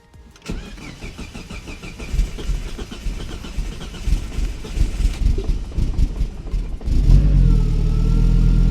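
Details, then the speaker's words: Mazda Miata swapped with a 5-cylinder engine on an ECU Master EMU, after checking coil dwell times: a few seconds of cranking to build oil pressure, then it catches and settles to a steady even idle on all five cylinders, running rich while warming up. "And that's all five. >> That sounds a lot more like five."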